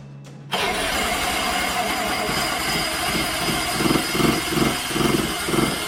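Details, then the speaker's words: Vespa ET4 scooter built from a box of eBay parts, on its first start attempt with fuel present and spark uncertain: it catches after a short crank, then runs unevenly with lumpy pulses; the cause is not found, and the owner thinks it is an easy fix. "that didn't sound good did it did not sound good are you uh are you disappointed no because that um is easy fixing i think"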